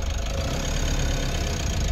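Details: Mitsubishi L300 FB diesel after repair of clutch-pedal noise and pressure plate causing hard shifting: steady low idle with even beat, no squeal or rattle from clutch area; noise gone.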